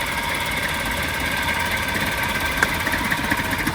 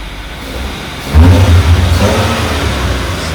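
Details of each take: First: Maruti Suzuki petrol car idling unevenly with a lumpy "chhu chhu" beat, irregular knocks and shudders felt at the rear, and a smell of unburned fuel: a misfire, fixed by replacing the faulty ignition part. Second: Maruti Suzuki small petrol engine after the faulty misfire part was replaced idles, then takes a quick blip of throttle and revs evenly; the earlier "chhu chhu" sound and the vibrations are gone and the engine is smooth.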